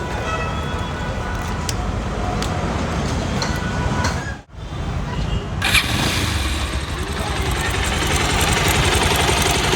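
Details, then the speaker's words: Bajaj Pulsar 220 single started and idling: light, quick ticking like timing chain noise, though the chain was recently replaced and is fine; the sound comes from the cam chain tensioner that keeps the timing chain tight. "ये आवाज है इसकी ये timing tension की ये देख रहे हैं आप जो टाइमिंग चैन को टाइट रखना है"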